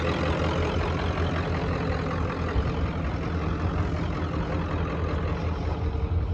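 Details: 1994.5 Ford Power Stroke diesel ranch truck, 384,489 miles, standard transmission, just back running after shop work; deep even diesel idle with steady low rumble, no misses, knocks or hunting; normal idle, running smoothly.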